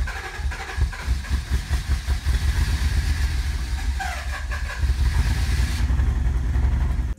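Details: 1988 Acura Legend Honda V6 that sat 10 years, after a new ECU, fuel pump, cap, rotor, plug wires and fuel filter: a stumbling, uneven idle, running rough, before fitting rebuilt OEM injectors.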